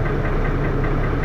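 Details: Dennis Arrow diesel bus, First Manchester 31923 (P423PVW), recorded on a phone in June 2012: rough thrashy idle with a heavy rhythmic knock throughout; cause not pinned down.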